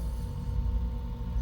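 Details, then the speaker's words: Bryant HVAC air handler that showed error code 41 (air handler motor issue), just after replacing the bad Genteq ECM 3.0 GC08 module: smooth low motor hum settling with a faint steady tone, no grinding or rattle; normal blower start-up, which must stay running without the code returning. "that noise good? This noise is good, but it needs to stay on. That's where we have the issue."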